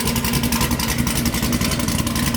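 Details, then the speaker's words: Camaro V8 after motor swap, new gauge fitted: strong, even pulses about nine a second with a steady beat, no knocks or ticks; sounds better, healthy running. "This sounds definitely better."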